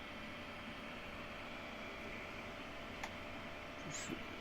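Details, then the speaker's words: Creality Ender 5 Plus Meanwell PSU fitted with two 40x10 mm always-on fans replacing the noisy stock fan: soft steady whir with faint hum, no rattle or ticking; normal running. "but these two fans will be on all the time the pin is on these other two are under the thermostatic control that is actually inside the PS"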